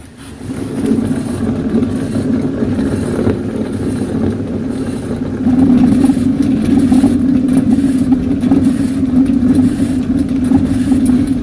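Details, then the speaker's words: 2003 Pontiac Aztek jacked up, suspected rear wheel spun by hand: steady coarse low roar with gritty hum, noise louder with road speed, wheel wobbles when shaken; worn rear wheel bearing. "so of course the louder horrible sound is a dead giveaway of a bad wheel bearing"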